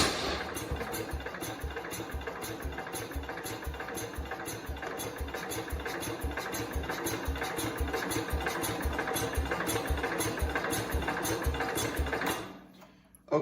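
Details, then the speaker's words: 1969 Cub Cadet 105 after reassembly and valve adjustment, with gas primed into the cylinder: uneven chugging crank for about twelve seconds with no catch or firing; owner suspects the fuel went out the exhaust. "it should have started off that little bit of gas that we put in the cylinder again unless it didn't get enough for unless it went out the exhaust which it almost sounds like it did"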